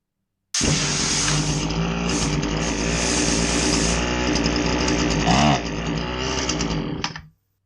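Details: Husqvarna 525LS two-stroke string trimmer, customer complains it bogs: buzzy, uneven running that sags and drops pitch midway before winding down; still bogs with new fuel filter and no air filter (old one soaked), cause not yet found.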